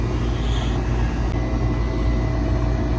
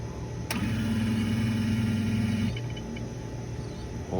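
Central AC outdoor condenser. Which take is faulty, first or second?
second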